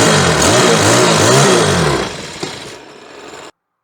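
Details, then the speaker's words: Troy-Bilt four-stroke weed eater with old yellow-tinted gas, fitted with a different carburetor and new spark plug, trying to start: engine surges and sags about three times a second, never holds revs, barely runs and dies; stale fuel. "Here's what it sounds like with the bad gas when you try to start it We're ready to go okay It barely runs"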